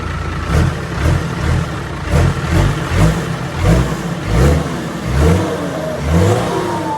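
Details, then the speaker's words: Diesel engine after cleaning dirt from fuel system and bleeding fuel lines (weak power); revs up and drops back about every 1.5 seconds, pulling cleanly without misfire or hesitation; fuel flows freely, runs strong. "เครื่องเราจัดให้แล้วน้องเฟิร์สมาล้างน้ำมันเดินสะดวกเลยครับแบบนี้ช่างเราจัดให้แรงเลยนะพี่พี่ว่าแรงขึ้นไงน้ำมันเดินสะดวก"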